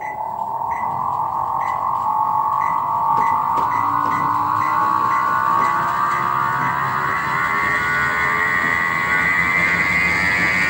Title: Image 15.5s treadmill with bad motor bearings